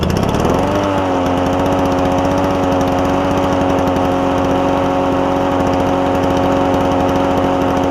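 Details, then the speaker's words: Toro push mower with a Suzuki-made two-cycle engine after carburetor cleaning: steady, even high-revving buzz with crisp, regular exhaust beat and no misses or surging, sounding like a marine outboard; healthy two-stroke running cleanly. "he's reading on the forums it sounds like a marine outboard as opposed to a lawnmower doesn't it but cool sound cool sound"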